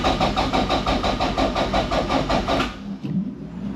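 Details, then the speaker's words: 686 bhp Toyota MR2 time-attack car, not started for a while; its small battery was charged beforehand but is low again. The starter grinds at about three beats a second, slowing and sagging, then stops without firing: cranks but won't start. It started after recharging. "let's cranker over so usually that first time it doesn't start and then the next time it will ah battery's low damn"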